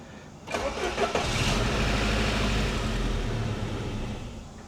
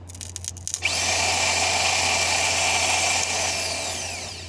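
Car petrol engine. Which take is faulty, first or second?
second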